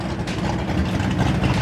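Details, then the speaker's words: 1989 Ford Mustang GT V8 idling after full fuel system cleanup and new tank and seals: deep steady idle with slight lumpy cam rhythm, even firing, no stumbles; clutch fan seized, spinning at engine rpm; normal idle. "but you can hear this thing is running extremely extremely well now that we cleaned up the entire fuel system"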